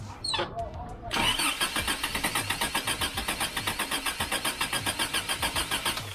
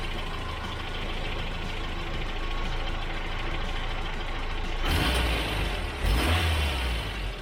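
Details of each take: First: Freshly rebuilt Toyota 22RE with performance cam, first start: cranks, catches, then a choppy, lumpy pulsing run that barely holds; timing off, distributor rotor not quite set on install, distributor moved for adjustment. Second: Rebuilt Toyota 22RE four-cylinder with a performance cam and new rockers: after reseating backed-out injector connector terminals, it settles into a steady, even low idle with all four cylinders firing and no misses.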